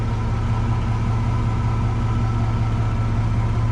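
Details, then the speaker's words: Lowered Chevy S10 idling after the rear brakes were replaced and the exhaust fixed: a steady, deep, even rumble with no ticks, knocks or leaks. Exhaust sealed, engine sounds healthy. "And then as you can hear that rumble that it has, that's the rumble I'm talking about. Still sounds pretty good."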